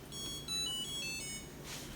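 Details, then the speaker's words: Samsung DW80R5060US dishwasher, power off pressed after the diagnostic test and auto-release drying: a short rising run of clear electronic tones in a quiet room; normal power-off chime. "So the way you want it to turn off the dishwasher, you can go ahead and press power off."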